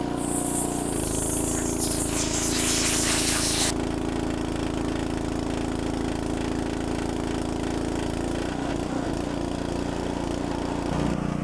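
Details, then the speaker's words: Log splitter small engine after carburetor jets cleaned again with carb cleaner and compressed air: steady even drone with a brief throttle change, throttle now responds; runs clean and healthy. "put it back together pull it and it crank and the autle I was able to turn it up I'm hoping now sounding pretty good"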